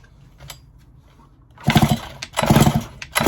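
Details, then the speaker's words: Stihl MS661C-M chainsaw after a brand-new top end and upgraded filter, pulled over by cord: hard chuffing compression strokes, about eighty per minute, not firing; strong compression, though the owner is concerned about the piston bearing. "We got spark. Oh man, listen to this, brand new top end. Mental."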